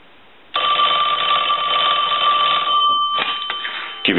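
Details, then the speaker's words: Western Electric Princess telephone final check after repairing a bell mis-adjusted during earlier refurbishing; loud clear steady jangle for a couple of seconds, stopping cleanly; ringer working properly. "I'm going to let that go a couple of times since that was the issue we'll let it go one more time"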